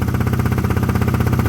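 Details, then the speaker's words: KTM Duke 125 idling just after installing a fuel module that is still adapting: even single-cylinder pulse, no misses or mechanical noise, normal idle, though it seems louder. "So give it a minute. Annoyingly, I think it sounds louder."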